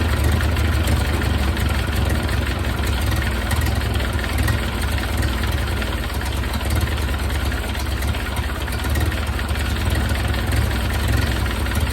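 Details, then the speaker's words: 1931 Ford Model A, long stored in a barn, after distributor cam adjusted for more ignition advance and idle turned down, exhaust hot: deep, fairly steady idle with loud exhaust rasp, no stumbling; runs a little better, carburetor unchecked. "turn the idle down and now I heated up the exhaust again so that's going to be fun to be working on but seems to be running a little bit better"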